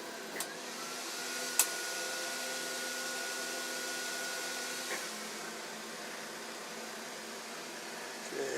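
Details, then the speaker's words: Sovol SV08 3D printer printing PLA with the front top glass removed, the exhaust fan on and a Noctua fan already fitted to the control board: a steady airy whoosh with a high fan tone, the part-cooling blower being the main noise. "but the main noise is this blow I think when that comes on it's on 50% I think that's both the blow and the fun behind"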